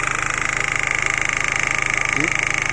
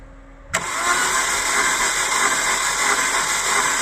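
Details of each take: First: 2000 Holden Astra, 1.8 L 18XE, with long-cranking hard start (crankshaft position sensor glitch suspected): once running, engine idles smoothly with quick, even pulsing about nine beats per second, no misses. Normal idle. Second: 2000 Holden Astra, 1.8 L 18XE: starter engages and turns engine steadily without catching, long crank; no spark or injector firing seen, crankshaft position sensor suspected (glitch on scope), to be replaced, not confirmed.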